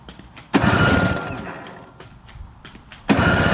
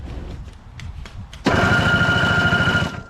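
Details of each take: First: Craftsman 521 / Toro CR20E single-stage two-stroke snow blower with a diaphragm carburetor, on electric start with the disconnected choke closed by hand. Two cranking bursts; the second catches rough for about three seconds, then dies: a brief fire on starting fluid. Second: Toro CR20E single-stage two-stroke snowblower, on choke with a broken choke linkage: electric start button gives a steady fast whirring crank, about three beats a second with faint whine; starter works normally.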